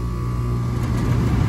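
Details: Central air outdoor condenser after new condenser fan motor and capacitor fitted, compressor drawing about 7–10 A, hard start likely unneeded: deep steady hum with faint fixed tone, no clatter or starting struggle. Normal compressor running.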